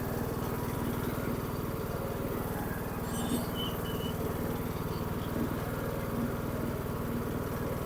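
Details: Dixon 2042 riding mower, 20 hp engine, 42 in cut, after a tune-up: steady, even low thump at a settled idle with no misses or knocks, runs like new.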